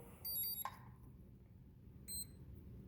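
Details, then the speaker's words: Balance charger set to charge a 2S 7.4 V lipo at 0.2 A: two short bursts of high electronic beeping in a quiet room, a connection-error alarm. Blamed on a balance charge plug that had given trouble before, so a different plug was used. "so we had a connection error I'm actually just gonna go to a different balance charge plug I had a problem with that one years ago"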